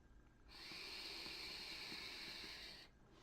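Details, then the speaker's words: Titanide Leto RTA vape atomizer draw with high thin whistle over rushing air from the airflow system; whistle grows louder as airflow is partly closed. "c'est un peu ce système des flots qui a tendance à siffler quand vous l'entendez ça fait un peu de bruit"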